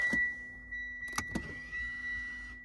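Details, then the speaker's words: Late-model Mitsubishi Outlander electric park brake, car jacked up, rear wheel off for pad change: short steady electric whirr of the rear park brake motors for about two seconds, stopping cleanly as the handbrake releases normally. "off, you hear the motors going. Alright, so handbrake is off."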